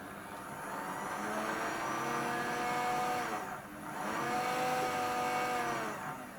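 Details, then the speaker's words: Dapol Class 121 model loco, unused for a long time: high smooth motor whine rising and falling with throttle but no movement, because the glue holding the driveshaft butterfly (to the worm drive) has come off. "what's happened is on both these Locos the glue that holds the butterfly has come off"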